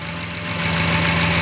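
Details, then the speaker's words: 1972 Jaguar E-type V12 at 1450 m altitude, not fully warm, vacuum advance line reconnected to manifold vacuum, which advances timing and raises idle speed: smooth, even, steady low-hum idle with no misses, sounding happier; normal idle. "if I reconnect vacuum you can hear the engine sounds a little bit happier"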